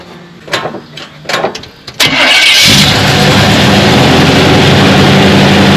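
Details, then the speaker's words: 1991 Chevy K-5 Blazer, 350 with 700R4 automatic, after tightening loose torque converter bolts: starter cranks briefly and the engine settles into a smooth, steady idle; the earlier knock at idle is gone. "okay noise was gone"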